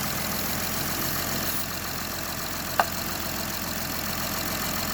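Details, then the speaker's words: Honda Odyssey idling after spraying silicone lubricant on the drive belt's inside grooves and sides (belt and pulleys fairly new, squeak after winter): smooth even idle, belt squeal gone and even quieter. "So right there I can see the inside of the belt. It became even quieter."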